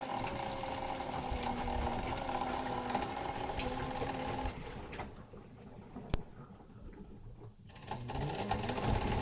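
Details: Maytag Neptune MAH5500 front-load washer: drum grinds with a rough whir as it turns, cutting out briefly; grinding persisted after tub bearings were replaced with an online kit, and the original bearings looked fine, so the cause is unknown.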